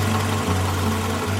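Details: Toyota Camry ACV30/31 petrol, not on gas, after retightening the loose right-hand air filter housing bolt. The resulting air leak had caused a lean-mixture check engine light. Steady, even idle hum, smooth low beat, no misses or knocks: normal idle.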